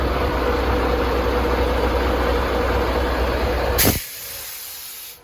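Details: Loaded semi truck hums loudly while running, with a loud steady periodic air hiss over the low engine rumble that suddenly cuts off, heard inside the cab; after a part broke off, air leak source unknown.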